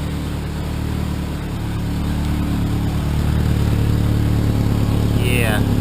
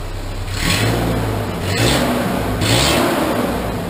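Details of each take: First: Cheap Ford Ranger four-cylinder at idle, exhaust broken and leaking everywhere: loud, deep chuffing idle that puffs like a diesel truck; old exhaust to be replaced. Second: Cheap Ford Ranger after replacing its old exhaust with a used one routed in the proper spot: smooth blips rising and falling, no ticking, popping or rasp; much quieter, sealed exhaust.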